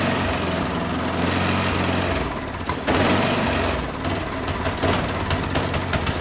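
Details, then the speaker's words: Husqvarna 10530 SBE snow thrower sat about four years, first start, choke on: small single buzzes then revs swell and sag, hunting and surging; owner suspects clogged carburetor idle circuit, later suspected a blockage. "Kind of hunting or surging, I think probably the idle circuit in that carburetor is what I'm going to guess is maybe needs to be cleaned out."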